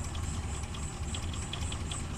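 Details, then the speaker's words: Suzuki Carry Extra petrol engine after replacing one dead spark plug that caused shaking, misfire and high fuel use: steady even low rumble, stable idle without stumble; smooth idle. "RPM nggak ada setengah lur dan memang mesinnya masih stabil ya masih bisa langsung"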